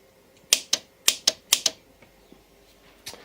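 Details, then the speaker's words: Motorcycle being rewired with new loom, key on and start button pressed, starter motor not connected: three pairs of crisp sharp clicks as button pressed and released; starter relay operating, low-amperage starter circuit working. "starter relay operates so that's basically that started circuit working"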